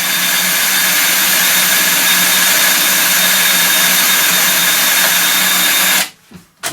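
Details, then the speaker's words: Stihl 145° pole trimmer head (700mm) running after rebuild and greasing (it was noisy before): steady, even whir with no knocking or grinding, then spin-down. Much quieter and smoother than before. "so anyway let's see what it sounds like now and a lot lot quieter and a lot smoother action"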